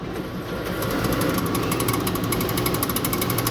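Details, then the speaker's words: Stoves milkshake machine draining product in vanilla mode with the spinner removed; steady rapid rattling hum, about four pulses a second, as the spinner drive turns and leans against the metal; normal running during drain. "the thing making the noise is what would typically spin that blade and so it is actually spinning right now but obviously it's so if you hear that clicking it's just because it's spinning and leaning against the metal there"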